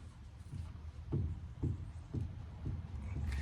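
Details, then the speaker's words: Old pickup truck, weight off the wheels: dull low pops about twice a second as the tie rod is rocked by hand, with up to 3/16 inch play: a worn tie rod end. "You may be able to hear the little popping sound it makes right here."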